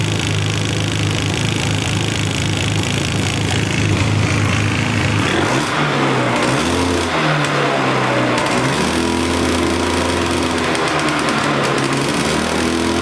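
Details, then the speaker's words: Polaris Explorer 400 two-stroke ATV, revived, running on choke: loud, buzzy, uneven fluttery sound as revs rise and fall; excess oil in the bottom end, from the oiler stuck wide open by a stuck cable, still burning off. "Of course, it's still got a lot of oil in the bottom end where that oiler was stuck wide open with the cable being stuck. So, it's got to burn a lot of that out, too."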